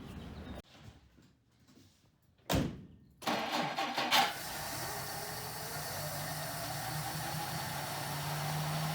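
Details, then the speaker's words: 1959 Plymouth Suburban wagon, long-stored barn find, first start attempt: short crank catches cleanly, then settles into a soft, even, very quiet idle that builds slightly; engine starts and runs healthy. "that's so quiet i can't hear it run"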